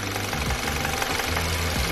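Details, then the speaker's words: VW GTI with codes P000B, P0017, P0341 and P2336 that is stalling. A steady rapid tick-knock over a warm idle; low oil pressure is suspected, and it is loud while driving. "it's almost like it's got low oil pressure something that's not allowing it to go back the other way and then it's super loud when you're driving you can hear it when you're driving"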